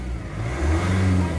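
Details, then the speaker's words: Nissan Navara Calibre diesel after engine cleaner/restorer treatment, previously throttle delay and low power: steady low drone rising evenly and smoothly when revved, no knocks or stumbles; now refined with more power. "Oo. Pulido siya na smooth. Parang ganon. Gumagalaw yung ano buong body oh. Pag sisipa mo gumaan ng body. Oo. Malakas na yung ano yung power niya yung engine horsepower."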